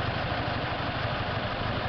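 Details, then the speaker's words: Toyota Hilux/Tacoma 2.7 L 2TR-FE petrol just after a head gasket change idles unevenly and lumpy, shaking as if missing, with a ticking noise when revved; owner suspects misfire or timing/cams installed wrong. "something's missing and then there's this sound when you rev it"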